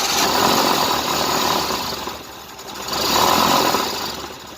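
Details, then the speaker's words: 1988 Tennant 255 Series II sweeper after fuel line replacement, choke on and starting fluid tried: starter cranks in long even surges about three a second but never catches; still not getting fuel, fuel pump suspected. "Seems like it's still not getting fuel."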